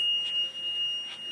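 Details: A piercing, steady electronic shriek near 3 kHz runs continuously in an apartment. It is suspected, not confirmed, to come from a powered Comcast box on the floor, and is not the fire alarm. High-pitched shriek.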